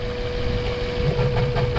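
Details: Mazda 3 with long-standing misfire despite new spark plugs, fuel filter and fuel pump: uneven lumpy idle with irregular low thumps; traced to a cracked, heat-brittled ignition coil leaking spark.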